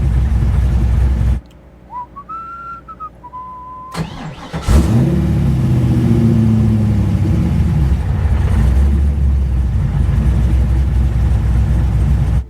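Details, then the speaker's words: 416ci LS stroker in a Nissan S13, fresh engine, VEMS idle tuning after lowering two idle-positioning numbers: cranks, catches cleanly, flares a whisker high with slight overshoot, then settles into a steady idle. Acceptable normal start. "Oh yeah, that was nice. That's what we're looking for right there. little bit whisker high, whisker of an overshoot."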